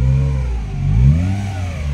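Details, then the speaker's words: 2017 Honda City 1.5 revved with the AC on: a heavy low drone that disappears when the AC is switched off, traced to a faulty AC compressor, heard before the compressor was replaced. "yan yung ingay na gusto nating alisin pag in-off natin mga boss yan oh ' ba wala So ibig sabihin may compressor ang may problema"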